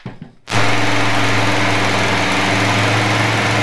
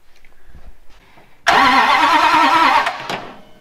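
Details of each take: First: 1967 Dodge Coronet with a newly installed V8 on its first run: strong, steady idle and clean throttle blips with no misses or knocks; healthy engine, with a header leak noted. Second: 1967 Dodge Coronet with a newly installed engine, coil just wired and fuel leaking, cranking; the starter churns steadily for about 1.5 seconds with no fire or pop because there is no spark.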